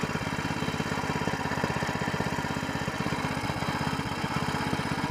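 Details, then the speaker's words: New small single-cylinder longtail mud motor during break-in: holds a steady, even beat with no misses or knocks; runs clean and healthy; normal running. "good motor good motor"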